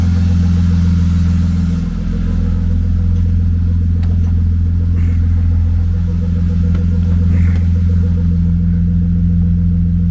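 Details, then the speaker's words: BMW E36 convertible inline-six, first start after cylinder head, cams and gaskets replaced; deep, steady idle with an even low beat, all six cylinders firing, no misses or ticks; some smoke, likely old grease on headers; check engine light on; normal idle. "That sounds a whole lot better. All right, guys. Well, it runs, and it definitely sounds like it has 6 cylinders. Sounds nice and smooth."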